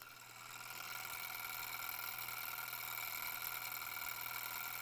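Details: Stirling engine generator model kit, belt possibly too loose to turn the generator: light, quick mechanical whirr over a faint steady hum, even and unbroken; running smoothly.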